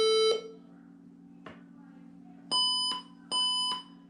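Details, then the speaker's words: HP 20-c434 all-in-one PC at power-on after an 8GB RAM upgrade: one long high beep, a pause, then two shorter beeps a second apart; boot warning code, and the owner suspects the RAM was not seated properly. "doesn't sound good does it all right let's turn this off try to reboot again"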